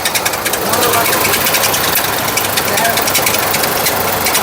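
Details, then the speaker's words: Nissan Micra with the engine running: a fast, steady ticking rattle from the radiator cooling fan, which is wobbling badly. The fan was then removed for repair. "अब एक और शुरू हो गया है, आपको आवाज़ सुनाता हूँ। इसका रेडिएटर फ़ैन जो है बुरी तरह से वो हिल रहा है।"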